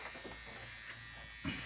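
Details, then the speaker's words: Split AC indoor unit: loud thin buzz over running blower; dirt build-up from the cooling coil below is touching and rubbing on the blower wheel; fix is cleaning the coil area and tray. "ये आवाज कर रहा है बहुत तेज आवाज कर रहा है ये जो कूलिंग कॉइल का फचरा नीचे नीचे है ना वो ब्लोअर में टच हो रहा है"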